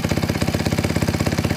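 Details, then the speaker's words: 2007 Honda CRF150RB at idle, choke off: quick even thumping with a light tick on each beat, heard at the top near the valves; owner suspects the cam or cam chain, not sure. "from this side it sounds like the very top up here around the valve area around this side same thing kind of hear noise somewhere right in here might be cam might be the cam chain I'm not sure"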